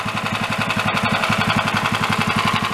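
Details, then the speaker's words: Single-cylinder dune buggy engine at idle after revving: sharp metallic tap on every firing pulse, about ten a second, described as rattling; suspected bottom-end knock, not confirmed. "the Ben is rattling"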